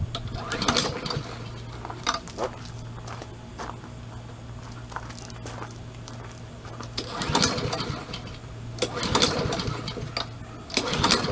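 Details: Craftsman self-propelled mower, single-cylinder, started with the choke on after freeing the auto choke and replacing the control cable: a steady putter swells and sags in loud waves every few seconds; engine surging, carburetor cleaning planned next.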